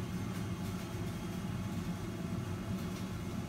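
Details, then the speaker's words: Systemair RVK 8-inch in-line duct booster fan (1080 m³/h) for a kitchen extractor, mounted far away in the roof space: faint, steady low hum with no rattles, ticks or surging; running healthy with strong suction. "it's not very noisy it's got an awful lot of suction because the mount is up in the roof and it's far away you can't hear it"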